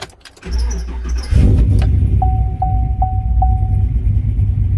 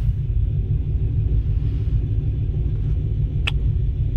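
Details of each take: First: Probably 2015 5.3 LT six-speed truck, cammed, and badly tuned by another shop, before retuning: a brief crank, four chimes, then a lumpy idle that wavers; timing jumps everywhere and it would eventually die. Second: Cammed LT 5.3 V8 truck after tuning: deep, steady low rumble with a mild cam lope and only slight rpm drift; holding a normal, even idle.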